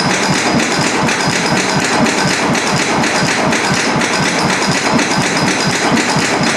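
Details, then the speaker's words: 130-year-old Western Electric generator driven by a 42 hp Bruce Macbeth engine with a large flywheel, running at about 240 rpm: slow heavy thumps about two a second, ragged beat, missing now and then; magneto suspected of missing and needing rewinding, not confirmed. "it's tough to tell because i'm not used to looking at a fly wheel that big right and i you know what cause i think the mag is missing so being rewound"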